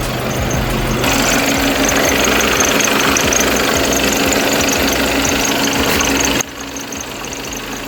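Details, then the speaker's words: Skoda (B8) with a 2.0 TDI EA288 (CRLB) diesel idling, with a thin, steady high squeak from the serpentine belt over the clatter; the quick fix is greasing it. "if you hear a squeaky noise from serantine belt in your"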